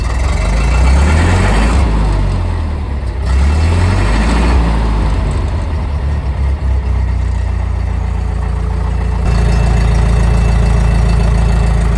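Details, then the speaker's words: Engine on a large Hobart engine-driven welder with newly wired fuel pump and fuel pressure: deep, steady note that picks up cleanly with throttle and settles back to an even run; engine runs good. "Look at that. Like I said, it runs good."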